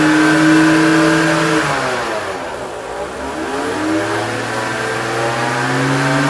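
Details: BMW 325i engine, revs dipping and climbing: a clear whine that falls and rises with engine speed. Alternator or guide pulley suspected.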